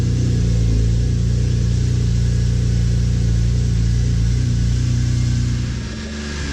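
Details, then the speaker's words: BMW E46 M3 S54 straight-six right after a VANOS rebuild and valve cover gasket job. A smooth, strong note holds steady, then settles as revs drop, with no ticking or rattle; healthy engine. "Sounds like a new engine. Woohoo!"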